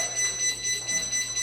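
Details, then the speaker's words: Pride Mobility Jazzy Passport folding power wheelchair, just after the battery pack is installed and power is on: fast, thin, repeating high-pitched beeping, probably the freewheel alarm for a drive motor left in neutral. It stops once the motor is put back in gear. "And the reason it's beeping right now, we probably have a motor in neutral. So I'm going to put the motor in gear."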